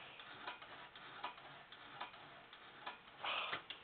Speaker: everything in there is just as stuck as that bail and if that Bell Tings now on its own did you hear it I know it's it's faint but it's doing it it's pinging on its own